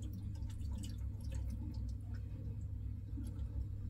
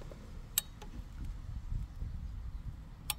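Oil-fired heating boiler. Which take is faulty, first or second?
first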